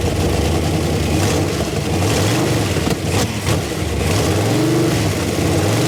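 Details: 1968 Camaro sitting since 1999, run on the last bit of lawnmower gas poured into the carb bowl with throttle worked by hand: the deep V8 burbles unevenly with rising and falling blips, then runs out of fuel.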